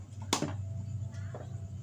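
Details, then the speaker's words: Yamaha Mio M3 fuel pump bench-tested on battery power after rat-chewed wiring was found to be the cause; faint steady low hum with no stutter; pump active and running normally. "Kak Du bisa terdengar ini aktif ya ini bersuara cuma suaranya kecil nah ini sudah bersuara sudah aktif"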